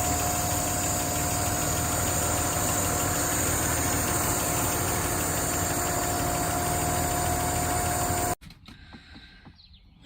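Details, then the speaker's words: 1959 Alvis TD21 Series 1, warm after a good run: a smooth, even idle under a steady whirring fan, with no ticking or knocking; a normal warm idle. "Starts nicely, settles down to a nice idle. It's running nice and warm at the moment."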